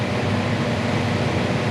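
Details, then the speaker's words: Condo furnace during routine maintenance: a steady low droning hum with a buzzy rattle from blower vibration; inducer draws 2 A, blower 4 A, total 5.2 A; tightening loose screws stopped the vibration. "kind of a little bit of a weird blower noise we're gonna make sure we check amperage you have to hear that buzzing"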